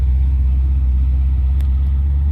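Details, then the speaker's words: 1956 Dodge after new mufflers, a plenum gasket repair and new parts to fix a high idle: low, steady, even idle rumble with no rasp or blowing, quiet and healthy, much smoother with less vibration and shake than before. "on the ground oh it sounds way better oh it's actually really good so quiet it's really good"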